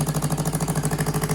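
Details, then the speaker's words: 2015 Yamaha R3 twin engine, warmed up: quick, even, steady putter of about eleven pulses a second; idles around 1,500 rpm against roughly 1,400 read online, so idle speed is slightly high. "It idles at like 1,500. Yeah, I read online it says like 1,400."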